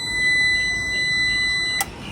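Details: A steady high-pitched beep holds for nearly two seconds, then cuts off cleanly as a computer UPS converted to an inverter, fed by a 12 V battery reading about 13 V while charging, is switched on; normal power-on signal.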